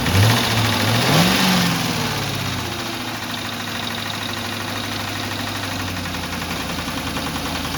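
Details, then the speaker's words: Salvage-title Mustang, check engine light on: idles fine, but after a rev the idle hangs high for a long while before dropping; owner suspects the idle air control. "right right now the idol F fine but as soon as I ref it up it should stay"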